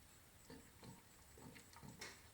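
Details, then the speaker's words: All-American pressure canner cooling down after canning keto chili (run at 11 pounds), nearly at zero pressure: soft irregular bubbling gurgles; normal sound of residual pressure, weight left on until fully zero. "It's the canner cooling down still. We're almost to zero, but not quite there yet. And that's the sound the canner makes when it still has pressure in it."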